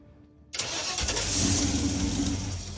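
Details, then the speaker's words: 1968 Ford Ranchero V8, revived after sitting dormant. Starts from inside the car after cleaning the connections and fixing the trigger wire (thought to be the real problem). Starter engages crisply and it catches at once to an even, lumpy idle, declared fixed. "declare this car fixed let's go off-roading allow me to start our vehicle from inside the car wow"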